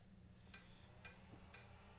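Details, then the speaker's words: 3D printer at power-on: four sharp, light clicks about half a second apart as the BLTouch bed probe runs its startup self-test; normal. "that little clicking that was the bo touch uh just checking to make sure that it was functioning you know it had a startup routine"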